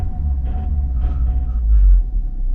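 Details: 2001 Opel Zafira 2.0 DTI 16v diesel, starts easily cold or hot: a low rumble swells when revved, then sags, stumbles and stalls. Code P1345 (pump camshaft sensor); fixed by the N146 high-pressure solenoid valve on the injection pump.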